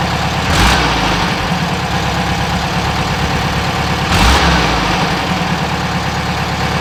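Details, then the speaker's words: 1967 VW Westfalia Bus air-cooled engine, after replacing the 009 distributor with a correct vacuum advance distributor: two sharp throttle blips rise cleanly from a lumpy idle with no stumble or gurgling flat spot; healthy response. "so that was me stomping on it a few times and as you didn't hear that gurgling action now"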